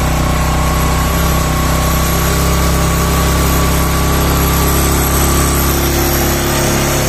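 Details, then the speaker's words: Yamaha Mio Sporty scooter after rebuild for lost compression (previously no compression, light when kicked), idle after throttle lowered, leftover oil in the exhaust; loud steady buzzing idle with even beat and constant pitch; runs smoothly. "Oke kita matikan dulu ya ini halus guys mesinnya nih ya kita matikan"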